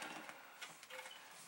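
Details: Amiga floppy drive loading Workbench: quick dry clicks and short buzzy head steps in irregular bursts; the drive seeks and reads normally.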